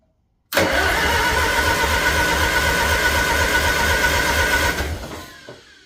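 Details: International Harvester Farmall 450 tractor, first start after sitting, fresh battery and gas, block warm, out of gear, no muffler: loud engine runs roughly with uneven pulsing and pops back through the carburetor, then dies; owner suspects distributor needs adjusting.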